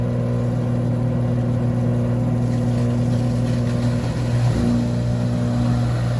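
A steady deep roar with a low droning hum that holds constant through the spin, typical of worn drum bearings.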